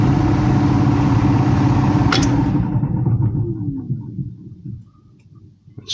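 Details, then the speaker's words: Heat pump blower with electric heat: loud, steady rumbling roar from the running blower motor that dies away as it shuts down; technician suspects something wrong with the fan motor, cause unclear. "like the F fan motor is something's going on with the fan motor got electric [Music] heat"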